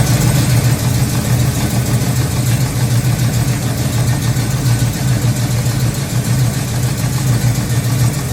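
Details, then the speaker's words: Freshly built Pontiac 400: loud, uneven, lumpy idle with irregular pops back through the intake and erratic compression; misfire suspected from a broken valve spring keeping a valve from closing, not yet confirmed. "and so he also made a short video of her running and you can hear my pop back through the intake"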